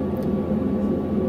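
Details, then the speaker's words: British Gas 330 Plus boiler with no hot water, upstairs thermostat bypassed for a direct power feed: after the burner fires, the fan ramps up to a steady even roar with a low hum and no rattle or bearing noise; fan running normally. "So the boiler just fired, so you can see that it's fired. You can hear it ramp up on the fan speed."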